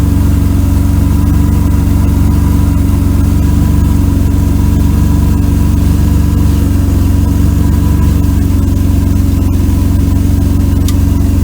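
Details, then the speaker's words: 1992 Mercedes W124 300E, low on fuel, idling, heard from under the car. Coarse, raspy, lawnmower-like puffing from a holed exhaust pipe section; the muffler and resonator are okay and an old beer-can patch holds. Exhaust leak; needs a new pipe section. "Let's go crawl under there. Needs a new exhaust pipe."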